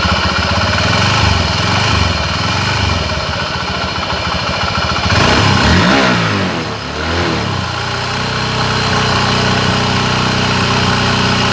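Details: Honda Scoopy scooter: steady humming whine over the engine that climbs with revs, blamed on a worn crankshaft bearing.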